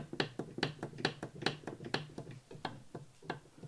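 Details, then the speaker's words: Disassembled Subaru EJ20K engine with known bearing failure: third-cylinder connecting rod rocked by hand gives sharp metallic clacks from excess bearing clearance, the source of rod knock when revving. "all right so that's the sound when you're hearing it revving at thousands of RPMs that's that rod that's that rod knock sound"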